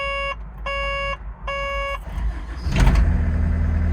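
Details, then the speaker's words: Vehicle that would only restart on a jump start after running a few minutes, fixed by replacing a bad battery cable. Three warning chimes, then a short crank, and the diesel catches at once into a steady idle. Normal start. "it was a bad battery cable so i've replaced it and uh it's just tickety-boo now go and fire it up see if it will go"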